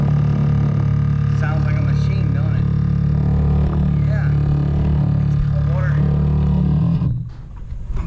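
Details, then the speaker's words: Shower, likely on the cold-water supply: loud steady low hum with a rattling drone while water flows, pitch changing, then dropping away when shut off; water hammer, suspected from a slightly clogged fixture restricting flow. "do it guys if you ever hear that noise that's what a water hammer sounds like that's whether it's called its water hammers when that the water goes through the pipes can't make it quite through"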